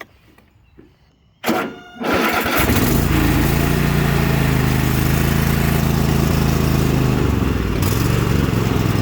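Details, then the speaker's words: Cub Cadet tractor small single-cylinder engine with a new filter, idle hunting, revs slowly rising and falling up and down; owner suspects dirt in the carburetor stuck in a needle, new carburetor bought to replace it, possibly the wrong one. "as you can hear it revs up and down revs up and down revs up that is just play simply something in the carburetor that's that's all it is"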